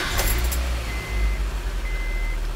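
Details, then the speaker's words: Car engine one week after being washed: steady, even low rumble with no knocks, ticks or misfires under a little key jingle; runs as well as before the wash. "it's still running just as good as it did before I washed the engine"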